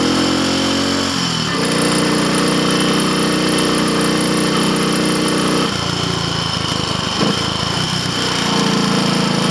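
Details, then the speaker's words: Triumph Tiger Cub (Bantam Cub) single on road test, engine of unknown rebuild history, timing and valve clearances known right; bogging, pinking under load uphill and needing to cool off; rider suspects carburetor needle should be raised. "all right tell you what I'm actually going to turn around this is not good we go back I don't want to damage the engine shouldn't be struggling like that"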